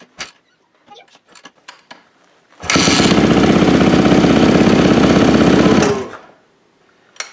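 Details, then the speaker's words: Yamaha YZ450F after top-end rebuild and cam timing setup: kick-started on third kick, engine catches cleanly and runs with a strong, even beat; compression feels good, sounds healthy. "nice oh yeah oh that sounds nice oh baby i like oh yeah"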